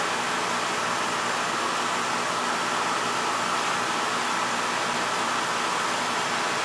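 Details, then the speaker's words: Older Beckett oil burner that was tripping safety and not firing, restarted after clearing an oil tank blockage and purging air, FF jumped out: steady even roar with no pulsing, sputter or flame-out; firing cleanly. "let me start this up I'm going to jump the FF out so the thing don't trip out on safety you get a good flow"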